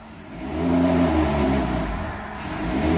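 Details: 2007 Ford Territory 4.0 six-cylinder, loss of power, no fault codes or check engine light, won't rev past about 2450 rpm at full throttle: engine rises then flattens to a strained steady drone; blocked catalytic converter, not transmission.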